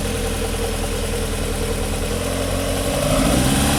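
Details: Panda petrol engine: uneven, lumpy, stumbling idle, then slight revving; misfiring, cause not known.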